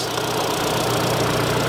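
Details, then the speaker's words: 2022 Kia Sorento after cylinder 2 misfire diagnosis and code clearing: steady, even idle hum with no stumble or tick; runs fine, no misfires, normal idle. "I cleared the code the thing runs fine"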